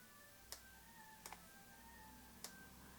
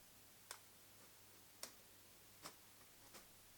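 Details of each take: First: Nikon AF-S 70-300mm f/4.5-5.6G ED VR lens with a VR fault: after resetting at 70mm by switching the camera off and on, faint sharp clicks about every second show the VR working again. Past 100mm the VR cuts out. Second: Nikon AF-S 70-300mm f/4.5-5.6G ED VR lens: faint irregular ticks from the VR stabilizer, which cuts out completely once zoomed past 100mm; known intermittent VR fault.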